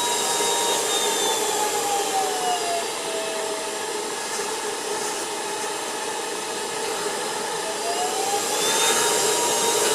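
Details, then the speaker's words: Ultenic U10 cordless vacuum, finger moved in the inlet to trigger the infrared dust sensor from normal speed: high whine dips, then climbs back higher as the motor speeds itself to maximum and the light turns orange. "Vous voyez, il accélère tout seul et il se met en vitesse maximum."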